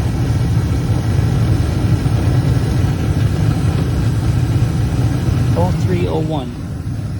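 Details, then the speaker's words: Carrier horizontal 80% efficient gas furnace with AC, made in 2001 (21 years old), in an attic, running in heat during a tune-up: steady low even rumble, no rattles, squeals or surging; the unit is running pretty nice. "all right i think that's all for this one this unit uh is running pretty nice"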